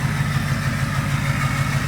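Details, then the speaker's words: 2005 Ford 6.0 diesel single cab, warming toward operating temperature: steady idle with a slightly uneven low beat as cylinder 8 begins to drop out; misfire and contribution fault, owner suspects bad rings, smoke increases when hot. "it just progressively gets worse and then you'll hear the cylinder drop out"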